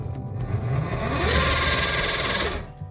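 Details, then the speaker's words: Theater popcorn machine stirrer motor after hundreds of uses: labouring hum with a gritty grinding note that sags and wavers; gearbox gears mostly locked up, butter and oil suspected of gumming the motor. "just sounds like it's really struggling so i'm going to take a apart the lid here take a look down inside see if i can't clean up the mechanism maybe uh un-gum it"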